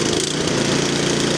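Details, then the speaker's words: 13-year-old MTD Yard Machine snow blower with Powermore 208cc engine that leaks oil and gasoline, carburetor replaced last year, near half throttle: the small single-cylinder putters unevenly and its speed wavers, hunting badly. Terrible exhaust smell; fuel in the crankcase is suspected, not confirmed. "Okay, so where we're at. It runs. It is searching like crazy."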